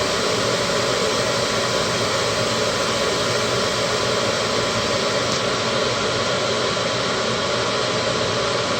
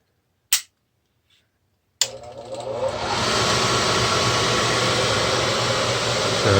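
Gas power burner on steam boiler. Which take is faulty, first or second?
first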